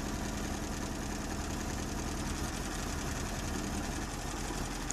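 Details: Colt petrol engine misfiring at idle, rough stumbling beat with one dead cylinder; spark plug wires pulled with engine running to find it (No. 4 and No. 2 checked), then rotor and points inspected.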